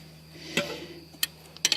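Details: 2003 Ford Focus no-start with the key turned: only three or four faint, sharp clicks at uneven intervals from the starter and no cranking. Battery cables are uncorroded, fuses are good and a relay was replaced. Starter clicking without cranking.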